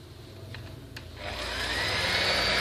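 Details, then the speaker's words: Maspion hand mixer, previously very rough-sounding, after rebuild: spins up to a steady, even high-pitched hum with no rattle or scraping; normal motor run. "sudah mantul teman-teman jadi teman-teman dapat bedakan ya antara yang sebelum dirombak tadi dengan yang sudah dirombak ini"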